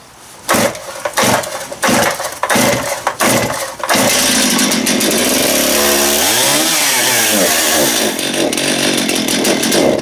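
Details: Stihl MS271 chainsaw after clutch drum replacement, on freshly mixed fuel: several sharp revs, then a steady high snarl that dips and recovers cleanly under throttle. The saw runs strong and even, and the chain is oiling.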